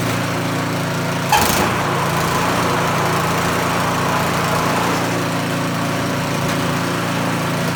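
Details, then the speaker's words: Small single-cylinder snowblower engine started with choke and pull cord before reassembly; brief clatter at start, then a steady, even putter with no misses. Runs successfully. "Success. They'll be happy because we got snow coming and they want to move snow."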